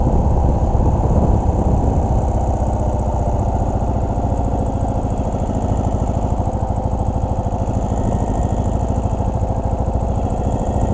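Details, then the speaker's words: 2017 Ural cT sidecar motorcycle on the interstate suddenly lost power, limping at barely 30 mph with check engine light on: heavy, uneven hammering, lumpy labouring beat at low revs; rough running with power loss, blown ECU suspected. "so you can hear it's kind of I don't know hammer II it's that a word Amory you you could just listen to it until something was wrong you can see that the check engine light is on and obviously something is wrong here"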